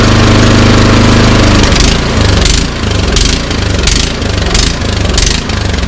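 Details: Troy-Bilt Storm 2410 snowblower small engine on choke: revs rise and sag roughly every two-thirds of a second, never settling, running rough and hunting; carburetor/fuel system suspected, not confirmed.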